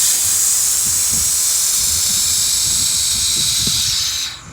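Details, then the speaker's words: Air-powered jack being lowered after inspecting wheel bearings, tie rods and ball joints, release valve opened slowly: steady loud hiss of air bleeding out about four seconds then tapering; normal air release. "all you have to do is open up the other valve right here. And I like to do this slowly and just kind of let it bleed out the air."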